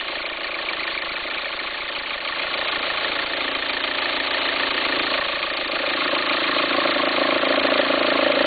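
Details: 2004 VW Passat 1.9 TDI at idle: steady rhythmic rumble, about three and a half beats a second, growing louder; belt appears to jump when it happens; owner suspects a worn alternator pulley, unconfirmed.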